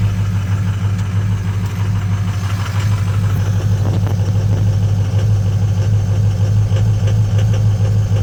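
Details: Ford 6.0 L diesel truck cold start after sitting overnight, about 45–60°F, no check engine light, injector #4 bad though it passes buzz test, additive didn't help: uneven, lumpy idle about three beats a second, one cylinder missing; rough idle from faulty injector.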